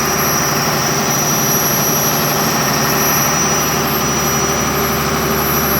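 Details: 6BT diesel generator after repairs, during a load test: deep, steady roar holding an even note under load with no knocks, misses or surging. Running healthy.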